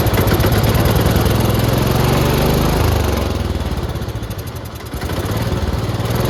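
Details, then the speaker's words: 1969–early-70s International Harvester Cub Cadet 126 garden tractor, single cylinder, first running after sitting for years; thumps unevenly, revs sag and recover because nothing holds the throttle; carburetor spat black smoke and may need tuning. "The problem is that there's nothing holding the throttle from just moving, so the throttle is just moving, which you know is kind of a problem, but I'm sure it's fine."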